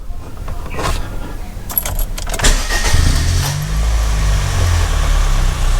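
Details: 2014 Honda Brio, 1.2 L L12 petrol engine, key start after clearing oxygen sensor fault code following water driving: handling clatter, then starter catches and settles straight into smooth, even idle; healthy start.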